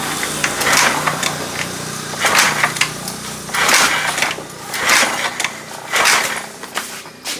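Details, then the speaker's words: Honda Beat ESP fuel-injected scooter with total electrical failure; power restored, fuel pump, speedometer and lights now on, fuel tank apparently freshly filled: repeated kick-start strokes turn the engine over but it never fires; cranks but will not start. "Coba sih kita cek bagian bbm-nya dulu Walah s oke Bos Bos aman BPM Kayaknya baru diisi juga ini diengkol juga Tidak nyala tidak ada tanda-tanda kehidupan"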